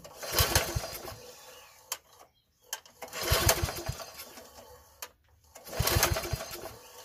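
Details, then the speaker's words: Troy-Bilt 33-inch walk-behind mower with a mouse nest found inside and a faulty recoil starter: three rope pulls give short whirring rattles that die at once. The recoil is not grabbing, so the engine never turns over or catches. "whoa what was that so right there look it's not even grabbing"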